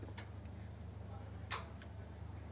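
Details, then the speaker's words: 1932 two-door sedan overdrive not working. The fourth-gear switch is disconnected and a temporary wire grounds it, so the overdrive is on. Crisp relay and solenoid clicks are heard when switched, so the fault lies in the switch side or a ground wire. "it works you can hear the relay clicking and the solenoid clicking so the problem is either down there or where the wire where one of those wires goes to ground"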